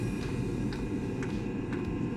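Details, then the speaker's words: Eberspacher Espar D2 diesel heater starting up after service for blower touching its case: low steady fan rumble with crisp even dosing-pump tick about twice a second; normal start-up, heater working. "okay so the heater is starting [Music] the heater is working"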